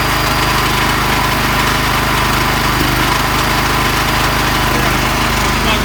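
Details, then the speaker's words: Petrol generator that would not hold revs in run mode and stalled, after carburetor disassembly and cleaning of its channels with carb cleaner, valve clearances checked OK: loud, steady buzzing run at constant speed with faint unevenness; normal operation. "є те що він почортує це його нормальна робота"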